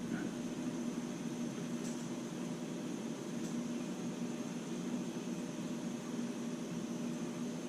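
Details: MSR Whisperlite Universal stove burning 190-proof grain alcohol, valve partly opened and left to stabilize: a steady, even hissing roar with no spitting or surging. Normal stable burn.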